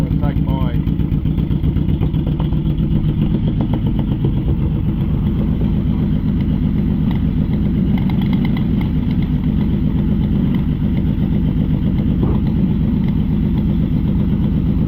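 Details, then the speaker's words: Yamaha Vmax V4, cold start (gauge reads about 30° low): idle stumbles with an uneven, lumpy beat two to three per second, like a grumpy V-twin; one cylinder missing, owner suspects a fuel delivery problem. "these V4 bikes um if they even if they're missing a cylinder or they just sound like a grumpy v twin they're not it's not as obvious when they um missing a cylinder"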